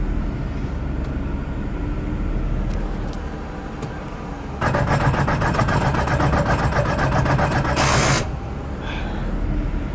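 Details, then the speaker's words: Toyota transmission after an accident: engine running, then a rough, fast, uneven rattling churn when reverse is selected; owner believes the transmission is shot and done, cause not confirmed. "we lost this god only knows what that noise is transmission shot that's it guys"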